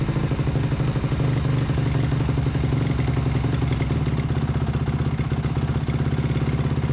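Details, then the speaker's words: 2008 Suzuki RM-Z250 after a carburetor and engine rebuild, hard to start: slow, loping single-cylinder idle with uneven pops, audibly sucking through the carb and barely hanging on; owner thinks the idle screw was set too low. "sometimes they're kind of a pain to get started right away, because turns out with this one, I think that I didn't have the idle screw up as high as it needed to be. You could definitely hear it sucking through the carb"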